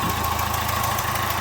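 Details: Citroën Nemo 1.4 HDi diesel at idle: quick regular chuffing puff on each firing stroke, pressure blowback with burnt-gas smell and carbon buildup; failed injector seals leaking.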